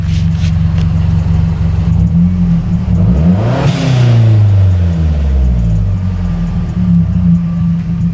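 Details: Turbocharged car with newly installed blow-off valve and Accessport, heard from outside while adjusting the BOV: quick rev then brief airy whoosh as throttle shuts; venting normally, AFR and idle normal, no check engine light.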